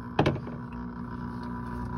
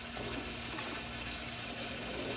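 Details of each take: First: Hessaire evaporative cooler, pump under one year old, drained and switched on: thump then steady electric hum, no water moving and nothing out of the hose; failed pump, replaced under warranty. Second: Hessaire evaporative garage cooler whose pump failed within a year, temporary pump just fitted and water reconnected: steady splashing water flow with a faint, even pump hum; pump circulating water normally.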